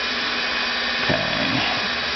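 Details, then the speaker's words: Rebuilt NetGain WarP 9 DC motor with new National T300 brushes, on an EVNetics Soliton1 with motor current limited to 50 A. After idle had sagged toward 100 rpm and shut off, idle current is set to 100. A steady whir under hiss lifts and firms up as the motor spins back up to a stable speed. Normal run-up. "so we're going to go ahead and set this to 100 and immediately we can hear the motor spinning up in the background"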